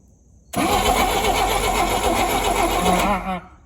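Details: 1959 Rambler, 195 flathead inline-6, automatic, parked for years, replacement starter fitted, checking for spark while cranking; steady cranking about three seconds with no catch or firing; no-start, ignition problem suspected.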